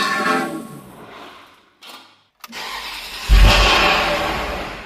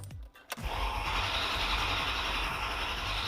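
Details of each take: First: Ferrari, first start in two years after sludge cleanup, exhaust swap and ignition coil connectors refitted: cranks, catches with a loud rev, then dies within two seconds; throttle wasn't held, cause unconfirmed. Engine starts then stalls. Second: Ferrari first start attempt in two years, sludgy milky oil, oil pressure slowly rising while cranking: after a click the starter spins with a steady even beat, no lurches; compression sounds good and balanced.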